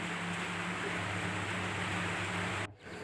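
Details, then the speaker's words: Jumbo Dolphin-type washing machine with a noisy wash complaint, after repair (checks covered the pulsator through the gearbox). Now a steady low motor hum with soft water swishing and no grinding; the sound is smooth again. "tu coba kita dengar lagi, coba kita tes ee setelah kita perbaiki dan alhamdulillah untuk suaranya halus kembali, Teman-teman, ya. Ee enggak berisik lagi."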